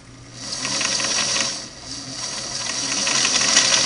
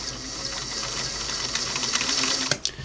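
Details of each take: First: 1964 Singer Model 347 sewing machine set to zigzag width 4 during needle-to-hook positioning: quick, even clatter of about three and a half stitches a second with a smooth whir; normal zigzag stitching, needle bar driving arm pushing out. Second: Singer Model 347 sewing machine after repositioning the needle to hook point, stitching through paper: fast even clatter with a thin metallic zing each stroke; the needle is still scraping the rotary hook point.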